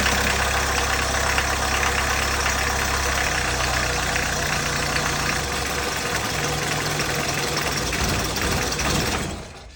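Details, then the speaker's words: 1991 VW Jetta GL diesel after fuel filter change: steady churning crank with a faint rhythm runs about nine seconds without catching, then fades; air in lines, fuel not drawn through the filter to the injection pump. "okay so that didn't really work so this wasn't able to pull enough fuel from the tank to fill the filter and get to the injection pump before it ran out of diesel"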